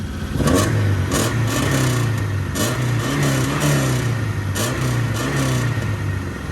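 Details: 1971 Honda 1300 Coupe 9S, air-cooled 1300 four-carb dry-sump engine, first start after 7 years following ignition cleanup, carb rebuild and fluid change: crisp throttle blips with busy mechanical clatter, no misfire or knock; good oil pressure, running healthy.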